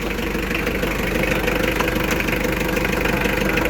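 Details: Mitsubishi Adventure 4D56 diesel, previously hard starting mornings, after glow plug fix starting with one click; steady even diesel clatter at settled idle, no misses or hunting, normal.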